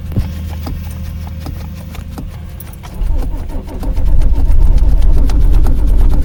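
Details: Cold winter morning roadside no-start: starter turns over steadily at about three beats a second for several seconds, but the engine never catches or fires; extended cranking.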